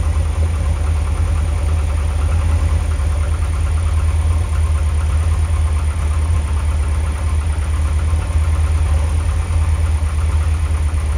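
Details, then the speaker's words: Lotus Elite engine revved, then back to idle after an oil and filter change and an idle setting adjustment: a low, even idle with a steady beat and no misses or knocks; it sounds much better. "that sounds much better to me"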